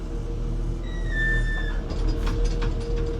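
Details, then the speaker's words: Small Volvo excavator idling: a high, slightly falling squeal, then creaks, from a very dry pivot pin starved of grease by a broken central greasing line. "That one's really dry. That's the one we need to get sorted."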